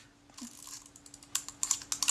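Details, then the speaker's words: Kodak Retina IIIC camera shutter; light ticks during winding then a second snap as blades flip open again — shutter fails to stay cocked; shutter and aperture blades found oily, camera needs servicing. "You go to crank the shutter and it doesn't actually cock."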